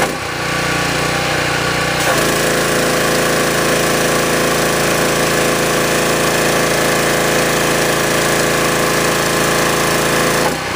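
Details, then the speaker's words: Generac pressure washer engine at high speed after service: fast, even, high-pitched drone with steady pump hum, no misfires or surging; unloader valve working, passed all tests, normal running. "So the machine's running great, ready to go back to the customer, so it should be perfectly fine for them."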